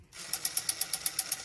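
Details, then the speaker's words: Vintage Western Electric rotary dial returning with about ten crisp, evenly spaced clicks at roughly eight a second and a dry rasp; the raspiness is from lack of lubrication, so it needs cleaning and lubricating. "that raspiness one yeah that's a lack of lubrication this needs a good lubricant needs to be cleaned and moved"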